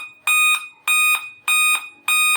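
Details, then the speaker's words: Laptop on power-up sounds shrill, evenly spaced beeps about every 0.6 seconds in a repeating five-beep code while it keeps running; five-beep startup code from a failed CMOS battery. "Hello friends अगर आपके पास भी कोई laptop है जो continue phi ब beep कर रहा है जैसे मैं भी लैपटॉप को ऑन करता हूं और अगर आप काउंट करोगे तो कंटिन्यू फाइव ब बीप करेगा"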